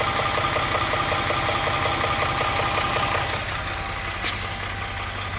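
Regular light knocking at about 160 per minute rides over a steady idle, fading slightly near the end; an engine knock, cause unknown.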